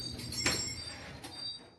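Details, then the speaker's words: Clothes dryer running after pulley replacement and added oil: low train-like drum rumble with a steady thin high squeal on top, still heating; squeal recurred after the earlier fix, cause unconfirmed. "I mean it sounds like a train wow it does sound like a train wow but um it it still heat so that's good"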